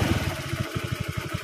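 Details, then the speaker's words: Carbureted single-cylinder motorbike (Jupiter MX/Suzuki Nex/Megapro type) with throttle position sensor disconnected: even, slow, steady putter at idle; rpm drops without the TPS and rises when it is reconnected. "Even though it may not be very clear, it sounds like it in the video. But when it's installed and removed, there's a difference, OK."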